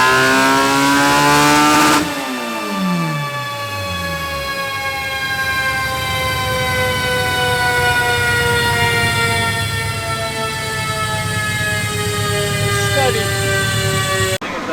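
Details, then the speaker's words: Final dyno pull after map cleanup eliminated the top-end misfire: screams up cleanly and winds down smoothly with no popping; tuner suspects one injector leaking on decel causing a slight stumble at the top end. "we got rid of that misfire at the end also we cleaned up the map but sounds really really healthy guys really healthy"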